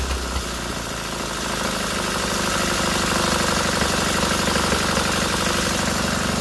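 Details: Freshly rebuilt K750 twin-cylinder motorcycle engine after first start, ignition problem fixed: smooth, even idle at about four pulses a second, no misses or knocks; both cylinders firing and heating equally, healthy.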